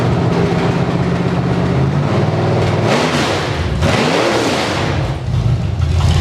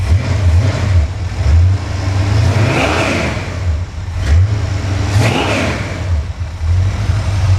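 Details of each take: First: Engine from Creampuff (squarebody truck) on a test stand with open headers, no load, water pump belt off, running briefly on leftover carb fuel: loud raw open-header bark, quick blips rising and falling crisply back to idle; healthy, snappy, normal running. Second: Engine from the truck Creampuff on a test stand while being revved: one exhaust pipe blew off. Loud, raw, deep blat that swells with each rev and has no muffling on one side; an exhaust leak from the blown-off pipe.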